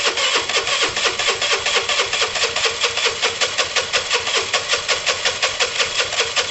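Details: Dumped Piaggio Typhoon 125 scooter on its first start attempt: fast, even cranking chuffs about four a second that come close but never catch. The owner suspects a poor coil connection and plans to wire the coils directly.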